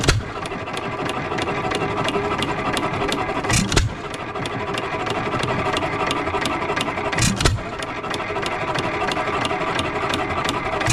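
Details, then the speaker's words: 3 hp Economy Model 3G hit-and-miss engine, possibly 1923, auction-bought, first run after priming: crisp regular ticking with a loud firing pop every few seconds while coasting, smoking a little, no rod knock heard though owner unsure of the rod; normal running. "so she's running she's smoking a little bit I don't hear the connecting rod doesn't not sure if connecting rod is bling or not but want to try something"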